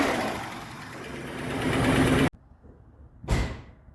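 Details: 1965 Buick Riviera, first start in 15 years after new battery, battery cable and starter solenoid fix: loud, steady, even roar with no knocks or misses before cutting off; sounds healthy.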